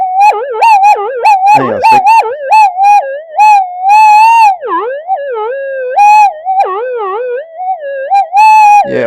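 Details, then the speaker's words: Minelab GP/GPX detector in mono mode with a two-winding coil (transmit and receive into separate channels, one out of phase to cancel noise): loud warbling tone swooping in short bursts, no target; suspected mains interference, probably magnetic field from the workbench, no cancellation. "it's probably magnetic field from my workbench. Yeah, it sounds like mains interference."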